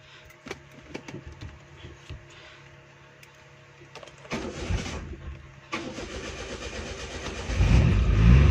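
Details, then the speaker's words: Engine start using the alternate CNG/petrol switch: clicks and handling noise, then the starter turns over and the engine catches and settles into a steady, even run; normal start. "ये आप देख सकते हैं दोस्तों, ये हमारी अब गाड़ी स्टार्ट हो गई है।"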